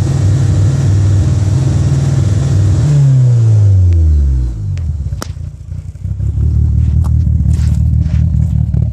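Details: 2G DSM petrol engine at idle with a phantom intermittent misfire: its deep rumble stumbles, sags and goes uneven mid-clip before recovering to idle.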